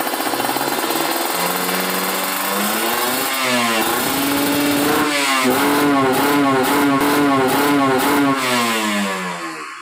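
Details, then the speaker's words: Ninja RR two-stroke with PWK30 carb, re-jetted rich after fitting a ground "kabel setan" wire, revved free on a stand while still cold: revs climb cleanly, then choppy and stuttering, limiting before 10,000 rpm instead of 12,000. "Ini masih dingin kayaknya teman-teman, jadi belum 10.000 RPM udah ngong. Udah ngelimit."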